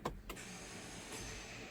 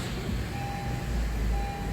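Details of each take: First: 2017 Honda CR-V, about 160,000 miles: a light, steady electric whir when starting, with no cranking. The starter free-spins and never engages the flywheel. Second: 2017 Honda CR-V, about 136,000 km, first start after starter replacement (the old starter free-spun): smooth, quiet idle with a low steady hum while a dash chime beeps about once a second; runs normally.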